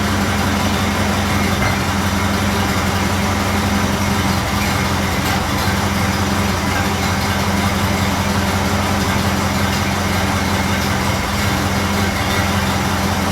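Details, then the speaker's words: Model A Ford after exhaust manifold gasket replacement and a new battery, charging about 2 amps, idle being adjusted down: low, steady, even idle with no ticking or puffing; sounds better, healthy. "That sounds better. Get that line down just a little bit. Sounding pretty good at the moment, but I'm going to be quick."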